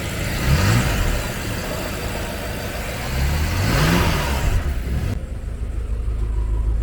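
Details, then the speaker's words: Car with freshly built fully forged engine: deep, smooth note climbs cleanly on two throttle blips and drops back to a steady idle; aggressive, healthy revving. "Oh yeah, look how she sound, gang. Give it a little gas. Man, that sound aggressive."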